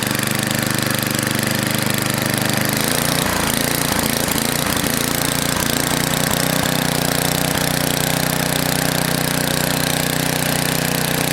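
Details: NOMA 8hp snowblower, Tecumseh-type single-cylinder, cleaned carb refitted: rough idle with speed surging up and down, governor hunting; bottom mixture screw turned fully in, carb mixture needs tuning.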